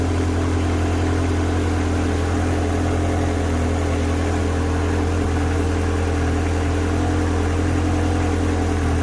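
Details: Ferrari 360 running cold with fuel pressure gauge fitted: steady, even low hum, smooth idle, no knocks or misses; fuel pressure about 50 psi running, about 45 psi after shutoff.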